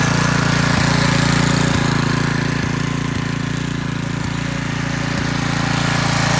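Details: McClane 3.5hp edger with Briggs & Stratton engine, after a carburetor tune-up, oil change and fresh fuel following years of sitting, started cold. An even, steady single-cylinder thump with a faint regular tick about three times a second and no misses. Runs well.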